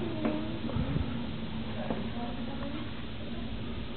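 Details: New LG refrigerator wailing with a wavering, siren-like tone of a few hundred hertz that rises and falls over a steady hum; the loud noises often start around 1–2 AM, and the cause is not pinned down.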